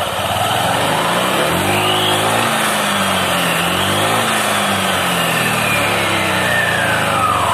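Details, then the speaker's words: Honda Vario 150 LED (K56) scooter CVT, before repair, revving up and down: coarse, rough rattling drone under the whine, heavy on initial throttle. It happens despite a recent CVT service; worn pulley bearing (6902) and rollers suspected. "Dan di sini terjadi kasar pada saat tarik tarikan gas awal itu terjadi sangat kasar bunyi kelotok-kelotok dan terasa sangat berat."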